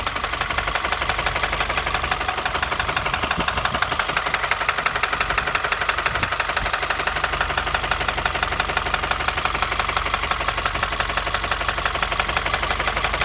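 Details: 2015 Subaru WRX: steady sharp knocking about three per second, continuing as the throttle is opened; a deep internal engine knock, cause suspected, not confirmed.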